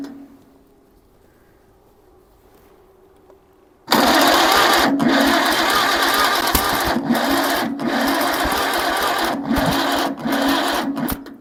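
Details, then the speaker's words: 1947 Farmall Cub tractor with magneto, muffler fitted: steady starter churn about two and a half turns per second never catching; not firing, cranking no-start. "Well, we still got the same problem."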